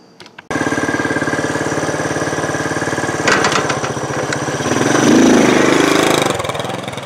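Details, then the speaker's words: 1968 Honda Trail 90 that sputtered on the road, after the sticking carburetor slide was fixed: the small single chugs steadily and evenly and picks up smoothly on throttle blips. The sticking slide was indeed the problem, and it now runs normally. "there you have it that was indeed the problem"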